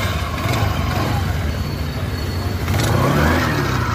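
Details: 2010 Suzuki Access 125 scooter, 14 years old, after replacing the worn-out original drive belt with a new genuine Suzuki belt to cure an engine-side noise: small engine runs smoothly, then revs up cleanly with no slapping or rattle; normal running.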